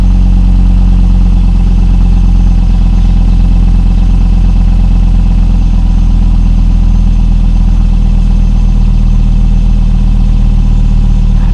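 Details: 2002 Volvo V70 2.4 after replacement of the centre and rear exhaust boxes with pipe: a deep, steady low hum at idle with no rattles, blowing or ticking; the exhaust sounds sealed, and the car then passed its MOT with no exhaust advisories.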